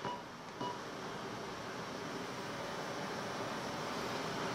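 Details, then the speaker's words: Pioneer DVH-860AV DVD head unit at zero volume: a constant, even hiss with no music underneath. Suspected firmware or EQ preset fault, since it lessens with the Super Bass preset or manual EQ. Unwanted background noise, cause unconfirmed. "меня сразу насторожил я подумал Это фон там бракована или что-то"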